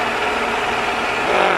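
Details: 2001 Toyota Camry after water bypass pipe leak repair and coolant refill: steady, even idle hum with no knocks, misses or hiss; no coolant leaks underneath, repair successful.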